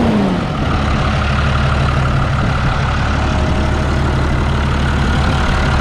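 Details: New Holland TB120 diesel tractor just after refitting the rebuilt, retimed injection pump: steady, even clatter with a smooth low drone and no misses or stumbles; runs clean and no longer smokes.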